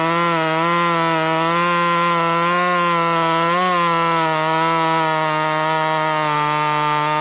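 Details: Ported Husqvarna T540 Mark III top-handle chainsaw (Red Beard Saws port), third tank, not yet broken in, warmed up, chain lightly filed, rakers untouched: strong steady high-revving buzz holding pitch under load with slight dips, pulling cleanly through wood; normal cutting.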